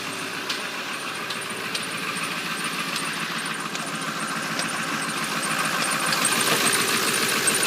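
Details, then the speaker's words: 1997 Ford F250 Powerstroke diesel, cold start around 40°F: steady sharp ticks three or four per second over rough cold idle; only at idle, not rpm related, gone when warm, truck otherwise runs fine; cause unknown. "it only does it when it's really cold out in the morning um and on first startup and it'll go away when it's warm and pretty much won't do it again until the next morning so"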